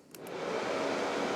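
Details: 2019 Polaris Sportsman 1000 XP with overheating complaint, cooling fan circuit jumped with a 20 A fuse in place of the suspect circuit breaker: soft whoosh swells within half a second then holds steady; fan runs normally, breaker deemed faulty.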